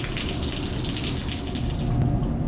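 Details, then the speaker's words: Split-system HVAC air handler leaking, auxiliary pan full, fan off: steady splashing and running water with no fan noise; unit overflowing because the condensate drain line is clogged. "let's begin by taking off these covers getting rid of some of this water this drain must be clogged"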